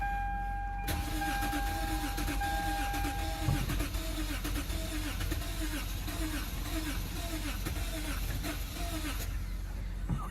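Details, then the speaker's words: Lexus GS350 (stated 2006 or 2009) with no electrical power after battery install, power restored by jumping a 40 amp maxi fuse; starter spins engine steadily about eight seconds but it never fires; crank no start, no fuel suspected. "my God what's going on with this thing does this thing even have gas in it still sounds like though I don't think this has any gas in it"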